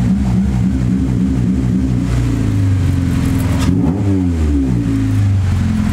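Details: Honda Integra with Ktuned throttle body, idle air control valve removed and holes plugged, throttle opened slightly: revs hunt up and down unevenly, no partial throttle reading; owner suspects bad TPS.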